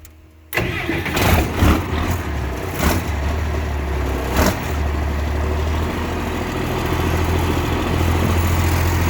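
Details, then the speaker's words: M35A2 truck with Cummins diesel swap, first start after filling and purging the cooling system: fast, steady idle sitting too high even after bumping the idle screw; owner says the governor springs need tightening a couple more clicks. "that's still not it's still not right it's idling too high"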